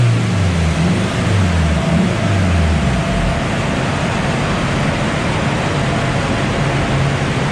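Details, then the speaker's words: Honda DC2 Integra K20 turbo run after hardwiring injector pins: steady engine roar climbing under full load with road and wind rush, no stumbles or popping; misfire fixed by injector wiring repair. "all right guys as you saw she pulled all the way through and thank god because it is dark outside now so it was just dodging jets wiring really pleased to fix it"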